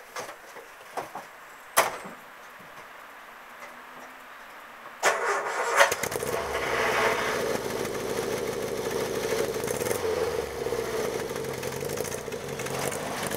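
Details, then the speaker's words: Triumph Herald 13/60 engine, direct cold start after sitting a few days; starts fine even after 6 weeks, no oil leaks. Short crank, catches at once, settles into steady even idle with no misfire or stumble; healthy cold start. "the longest time I've left this engine without starting is about 6 weeks and it starts fine every time never had any problems with it at all"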